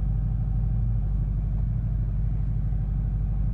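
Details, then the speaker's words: Ford 6.0 Powerstroke diesel tow truck after replacing passenger-side number 1 injector (was throwing cylinder contribution/balance code); started with low-pressure oil gauge up, deep even smooth idle, no misses, no check engine lights; normal idle. "We have low pressure. And boom. Look at that, nice and smooth."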